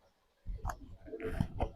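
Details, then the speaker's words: Sump pump in a basement, tested with running water through a new relay control circuit: after a quiet start, a low rough hum with irregular rattles and knocks; the pump vibrates but does not pump and the sump stays full. Cause unclear; owner wonders about relay polarity. "Um that's not at all what that thing is supposed to sound like. Um so now I have a full sump pump and it didn't flow out like it's supposed to."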